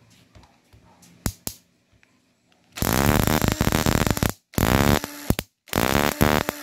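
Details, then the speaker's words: Toyota Corolla 2E distributor (crank, no-start car) bench-tested by spinning it to trigger the pickup coil and igniter: three bursts of sharp, rapid, unbroken spark snaps. Distributor OK; pickup coil to be cleaned and sealed. "So ayan, okay naman yung ano ah distributor."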